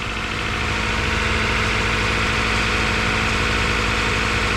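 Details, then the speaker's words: Honda CR-V after repair of bent valves, following a rough start: even, steady, slightly low idle with no skips or stumbles; running smoothly, not misfiring. "seems like she's running good and everything she's not misfiring I mean she's purring pretty good"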